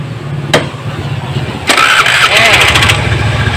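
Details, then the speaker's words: Honda Beat scooter starter, previously rough and too weak to crank the engine, after replacing the brushes and armature housing: a short, brisk starter spin and the engine catches right away into an even idle, smooth on five tries. "kali Eh lima kali percobaan hasilnya Alhamdulillah halus dan dinamo sudah kuat lagi untuk mengangkat starter ya"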